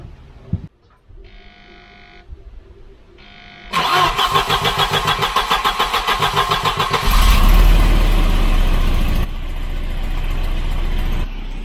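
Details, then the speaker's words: Volvo 740 wagon with about half a million km, after replacement exhaust manifold and new downpipe gasket: sharp rhythmic puffing ticks on idle that quicken with revs; severe exhaust leak at the manifold-downpipe joint despite tightening. "Still blowing. It's got a horrendous blow out the downpipe out of the where it mates here. It's just firing out of here."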